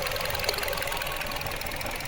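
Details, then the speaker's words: 2025 Nissan Versa HR16 petrol engine idling with one ignition coil deliberately disconnected: rough, uneven chuffing beat from a single-cylinder spark misfire, checked via wideband and rear oxygen sensors. "Por ejemplo, voy a desconectar una bobina. Desconecté la bobina."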